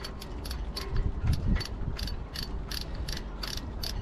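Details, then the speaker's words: Barient sailboat winch after disassembly and oiling the pawls: crisp, evenly spaced pawl clicks about two and a half per second, no grinding or dragging; sounds better than before servicing. "That sounds better than it did."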